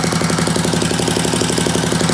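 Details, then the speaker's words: Rebuilt Yamaha Raptor 660 single at idle with a quiet core fitted, after fixing misaligned exhaust gaskets: a steady single-cylinder thump about twelve beats a second with no chuffing; a healthy, sealed idle. "The exhaust gaskets weren't lined up. That quiet core's gotta go though, man."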